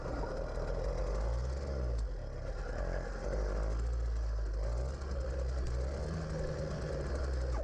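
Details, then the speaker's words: Gas-powered motorized bicycle on premium fuel, recorded while riding; steady buzzy two-stroke drone, even and unbroken, with wind and road noise: running well. "And if you can't tell, it's actually running quite well at this point."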